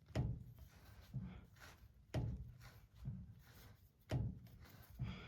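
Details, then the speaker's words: Strap and tab style differential pinion yoke: dull knocks about once a second as the shaft is rocked by hand; worn yoke tabs let U-joint caps shift, causing vibration; fix is shimming or a new yoke. "If I force it this way, there's going to be a little bit more. But, there's just wear on these uh uh tabs. Can you hear that click?"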